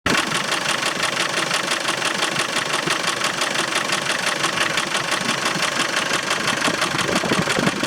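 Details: Land Rover Defender 300 TDI diesel after a timing belt change: idle with a fast, regular ticking clatter about three per second over the engine note; source unclear, owner suspects a loose timing belt or misaligned pulley.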